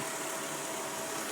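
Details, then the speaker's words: 2000 Mercedes-Benz S500, hood open, with new tensioner, suspension converted to normal shocks and springs, AC compressor working and no oil leaks; steady, even, quiet idle with no knocks, ticks or squeals, engine in good shape. "just listening to that, you can hear it's in good shape."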